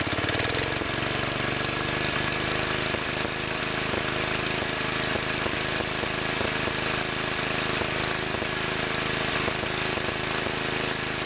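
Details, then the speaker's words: Two-engine Wheel Horse tractor, carburetors not adjusted in about 5 years: after throttle linkage tweak, uneven puffing and skipped beats as one engine misses a little; main jet mixture out of adjustment, later corrected by turning the main screws. "that's a little better but I don't like that puffing sound sounds like one engine is missing a little [Applause] bit"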